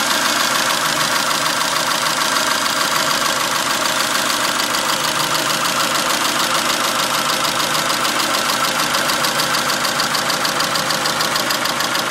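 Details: 2002 Dodge Neon at idle: quick even ticking about 200 per minute from the top end. The owner wonders whether it is valves, an exhaust leak or worse.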